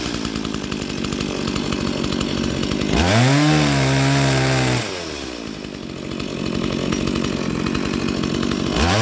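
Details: Stihl MS170 two-stroke chainsaw, roadside find, first start in years after repairs: crisp buzz picking up quickly on throttle and dropping back to even idle, running clean, then cutting timber.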